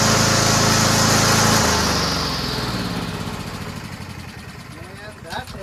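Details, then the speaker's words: Honda engine fitted onto a Toro Recycler mower built from three broken ones: a smooth, even single-cylinder drone with steady blade whistle, then a clean wind-down at shutoff; it is a healthy running engine. "Sounds great. That's a good engine, man."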